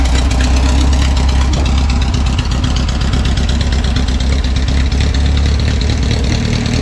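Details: 1974 VW Bus that sat over 10 years, running a non-original engine (the bus was originally fuel injected), idling back on the road; deep, even air-cooled throb with no misfires or knocks. Normal idle.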